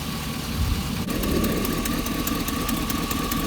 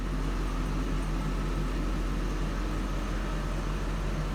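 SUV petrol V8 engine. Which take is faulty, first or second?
first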